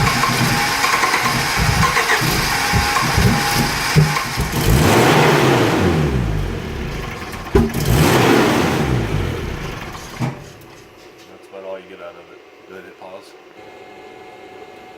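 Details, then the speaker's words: 1983 Volvo 244 after upgrade to LH2.2 injection and EZK ignition with many new parts, cranked with some throttle: steady cranking about three and a half turns a second, weak sputters, no start; cause unknown, fuel pressure unchecked. "Alright, so that's about what it does."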